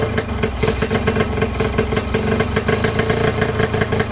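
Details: Yamaha RX King two-stroke, old model revived after sitting unused five months, first start with air screw not yet adjusted: busy, slightly uneven crackling and popping idle, mixture sounds off; unadjusted air screw suspected, not confirmed.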